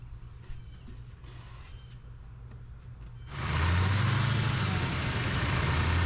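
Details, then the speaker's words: 2015 Chevy 2500HD 6.6L LML Duramax, DPF/EGR removed, head gaskets, studs and CP3 done a few thousand miles earlier: engine starts and settles into a steady rumble under a constant high thin whistle from the turbo exhaust housing; bearings suspected. "Alright, so after checking it out, you can tell that the exhaust housing is having a whistle come through it. So I'm suspecting bearings or something like that inside of it that's starting to go."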